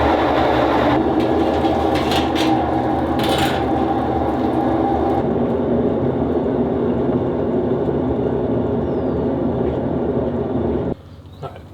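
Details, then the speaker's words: Washing machine with belt-drive, fully suspended drum: steady heavy low rumble through the spin that drops away at stop; nothing stuck in the drum sides, so it is worn drum bearings, which are spot-welded or riveted inside the transmission case. "there's nothing stuck inside the sides of the drum here which means what I thought sounded like bearing noise is in fact bearing noise"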